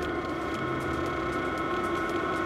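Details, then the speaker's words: VEVOR 8kW diesel air heater on a 12 V supply, switched up from power level 3 to maximum, with 11°C outside air. A steady rushing roar, rising exhaust noise and a quickening fuel pump click; normal operation at full power. "La scurt timp după aceea, se aude zgomotul de evacuare din ce în ce mai puternic. Clicul pompei, care transportă motorina în încălzitor, a devenit, de asemenea, din ce în ce mai rapid."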